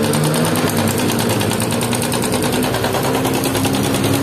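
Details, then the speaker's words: Yamaha Jupiter MX 135, in for an engine overhaul, idling: fast, busy metallic sewing-machine clatter over the engine. The cam chain area is very bad; cam chain rattle. "Kara suara mesinnya udah parah terutama di area rantai keteng rantai keteng udah parah banget"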